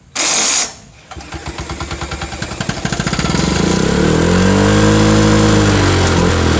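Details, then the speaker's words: Cold start of an old mower with a hard-to-turn, faulty pull start, started with a drill and socket: slow chugging cranking speeds up, catches, then runs uneven and wavering; hard starting and rough running, needs work, cause unconfirmed. "so yeah that one needs a little work but other than that it seems like it did okay"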